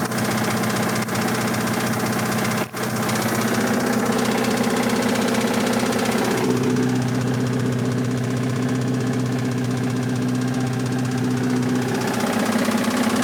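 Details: 1986 Toyota MR2 AW11 salvage-yard parts car, after vacuum leaks were fixed: heavy, deep, fairly regular knocking about three per second over steady running; bad rod knock, engine declared toast.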